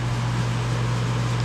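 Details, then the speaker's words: 2012 Bryant Legacy Line AC condenser running on a 66°F October day: constant low buzz at one pitch under fan noise, present since about mid-August and unlike earlier this season or last year; cause unknown; condenser buzzing. "it is definitely weird. Definitely sounds way different from the beginning of this cooling season and last year."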